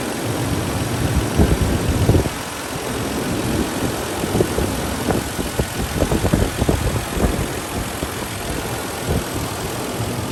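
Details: Toyota 80 series Land Cruiser 1FZ-FE running after fitting new OEM drive belts; an earlier idler pulley replacement had not helped. It idles smoothly and the previous belt-area whine is gone.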